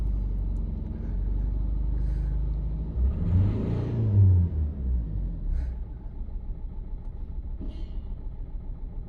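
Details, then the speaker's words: Nissan Juke petrol engine idling with an uneven, lumpy beat from a cylinder 4 misfire, possibly not yet at running temperature; cylinder 4 injector resistance and control circuit to be checked with a DVOM. "Expect cylinder 4 to be doing something that the others aren't. You can definitely hear that misfire."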